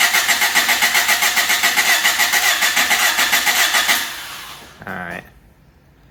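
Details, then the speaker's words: Honda Civic hatchback no-start: even, strong cranking about four beats a second, then it stops without firing; the fuel pump is not heard priming, and the owner suspected the pump. The fault was later traced to the ECU. Normal cranking. "we got good crank now that's a plus i wasn't hearing the fuel pump prime at all"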